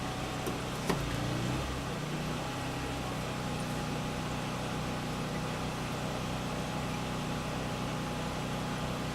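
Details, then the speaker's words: Champion 1200W portable gas generator running a Frigidaire fridge plus a 7 cu ft freezer at once: steady engine drone holds an even pitch without hunting or surging under the added load; both running fine. "Looks like they're both running."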